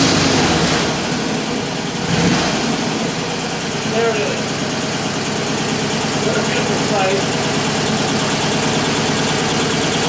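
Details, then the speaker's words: 1947 Indian Chief V-twin after full engine rebuild, started somewhat warm; loose, even idle at about four beats a second with no knocks or rattles; runs healthy. "but here it is kind of warm i'm going to start it up so you can hear it when it's supposed to sound like"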